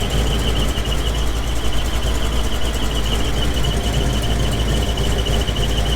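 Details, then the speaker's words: GMC 2500 Vortec V8 truck at warm idle, fast steady chirping squeak located with listening stick near torque converter, persists with transmission unbolted from bell housing, only when warm, not belts; after earlier oil pressure loss, cause suspected. "if you get underneath that that noise is coming right over to the torque converter again"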